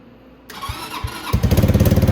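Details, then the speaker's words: 250cc Venom X22GT after installing new performance muffler: two quick cranking thumps, then it catches and settles into a rapid, even pulsing exhaust note; starts and runs cleanly. "I want to let you hear what it sounds like now with the new muffler, and we'll go from there."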